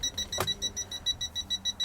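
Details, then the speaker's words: Toptes PT210S combustible gas leak detector in a caravan, at an emulated gas leak: quick, even high-pitched beeps, about five a second, with nothing behind them as it keeps sensing leaked gas. "Oh see if I've got a gas leak go in here oh yeah see it's beep beeping straight away when the detas miles away it's right out here now"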